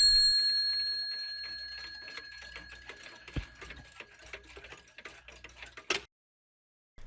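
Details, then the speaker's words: c.1910 Sessions beehive mantel clock with count wheel striking, anchor escapement and an original Sessions brass pendulum on an odd-looking suspension spring: an even, steady tick-tock after a fading chime, in beat. Normal clock ticking. "So now this thing's even more authentic with an original Sessions pendulum, helping the clock run. It's running nicely."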